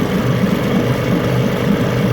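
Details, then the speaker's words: 9.9 HP Johnson outboard being revisited after an earlier failure, refitted with a new water pump and carb kit, after a long test-tank run, still running strong. A smooth, even buzzing drone at constant speed with no misses, knocks or surging. Normal steady running. "Well, it's been a while. Still running strong."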